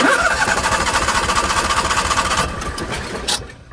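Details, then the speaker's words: Onan gas generator (5500/6500/7000) being cranked during slip-ring cleaning: starter whirs steadily for a couple of seconds but engine never fires, fuel cut so it won't start while the rotor spins. "see it won't start so by doing that way you know every time you hit the the start button the generator is going to be spinning"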